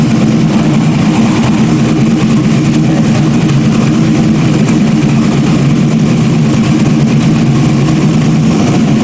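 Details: Freshly rebuilt stock-block GM 5.3 V8 race engine's first run after almost a year of rebuilding; loud, deep, even idle rumble with a steady beat, no ticking or knocking; runs smoothly and healthy.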